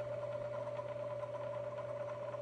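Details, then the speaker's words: Bridgeport milling machine: steady motor hum with fast light rattle because the high/low back gear shift lever popped halfway out of high gear, leaving gears rattling half engaged. "so what we're looking at is the shift lever for the high low gear it had popped out of high gear and the lever when you look at it right coming up on the right hand side you'll see that it's down so it's halfway it's just out of high gear so it's just kind of rattling there"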